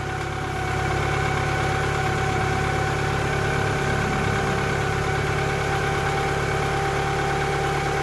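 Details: 2000 Toyota Camry after alternator replacement, belt tensioned and wiring harness repaired, charging at 14.7 V: steady, even idle with constant belt hum, no squeal or knock; normal idle.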